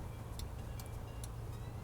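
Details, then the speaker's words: Kia Optima engine during a DIY rod bearing repair: low rumbling idle with sharp metallic knocks about every 0.4 seconds, tracking engine speed. Rod bearing knock confirmed before teardown. "that is our knock oh it's so nice to see that what a weird thing to say but so cool"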